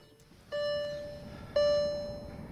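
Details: VW Touareg 7L 2.5 TDI R5 after replacing an indicator bulb with an LED plus resistor: three single clear beeps about one second apart, each slowly fading; dashboard bulb failure warning chime.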